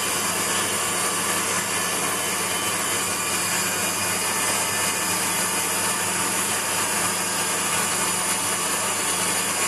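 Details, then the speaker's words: Waldown/Dumore tool post grinder on a lathe internally grinding a bronze bush: steady high-pitched grinding hiss at constant speed, no load changes; light, slightly uneven first pass with the wheel just kissing the bore. "generally i'll fire it up and then adjust it bring it back so it just kisses the job and you hear it uh pouring with rain again then you hear at um just touching the job you know that's where you lock it down"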